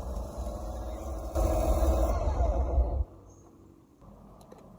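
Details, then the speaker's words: Long-used Electrolux pressure washer, left unused, runs with a rough, uneven motor roar and a scraping growl that surges then cuts out: burnt armature with a commutator heavily fouled by carbon-brush dust. "Barulho. Pode ser o induzido, pode ser o rotor. Vai abrir aqui para dar uma olhada."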